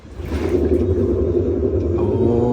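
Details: Maytag Bravos XL commercial-technology washer, model MVWB865GW0, spinning up in diagnostic mode: a deep, heavy "freight train" rumble builds and holds. Worn gearcase bearing; gear case and slider were replaced.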